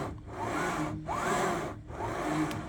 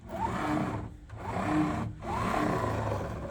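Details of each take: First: Anycubic Kobra 3 Max printer bed pushed by hand after fixing a grindy, bumpy movement (likely a warped pressed-steel plate): three even back-and-forth sliding strokes with a soft rush and no catches or scraping. The bed glides smoothly. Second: Anycubic Kobra 3 Max bed pushed by hand after eccentric-nut adjustment: harsh saw-like rasp each stroke about once a second; linear bearings binding because the twisted pressed-steel top plate twists the bottom plates.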